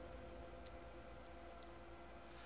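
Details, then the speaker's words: XL6012 boost converter module, 12 V input boosted to about 40 V at 1 A, running very hot: steady electrical hum with a sharp click, marking the converter's maximum output at that input. "when it clicks that's the end so this is the maximum that we can get with 12 volts input"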